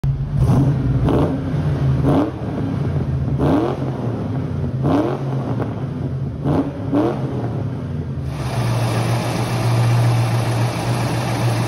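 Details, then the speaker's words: 1991 Ford Mustang GT convertible V8 (Fox body), parked idling in neutral, clutch released: tinny exhaust-shield-like rattle rising in loudness and tempo with rev blips. It nearly disappears when the clutch pedal is pressed about 1/4 inch, pointing to a worn throwout bearing. "rev the car up and i get this almost like exhaust shield style rattle which it obviously can't be"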